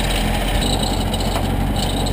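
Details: Crashed CRX4DR started after sitting a while, fan noted as damaged and not spinning evenly: loud, harsh idle with rattly, uneven edge; rough running, cause not confirmed.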